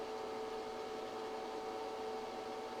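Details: ChocoVision Revolation 2 tempering machine in temper two mode, dark chocolate below its 88.7° temper point and rising: quiet, steady hum with two constant mid tones and no rattles or labouring, running normally.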